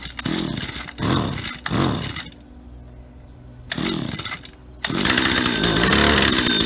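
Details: Stihl HT75 extendable pole saw bought at auction, condition unknown, cleaned and refuelled: sharp two-stroke revs rising and falling in short bursts, brief idle dip, then sustained high run; clean, responsive, works perfectly, normal running.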